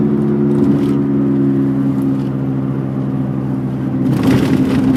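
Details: 1991 MG Maestro 2.0i at about 45 mph: a loud, constant hum or whirr, present for three months and recently louder. It grows with speed, deepens when turning left and vanishes when turning right, typical of a droning wheel bearing.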